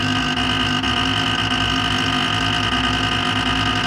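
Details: Creality Ender 5 Pro on first use: harsh, steady grinding with a high whine and rapid low stutter as the Z axis is driven against its travel limit.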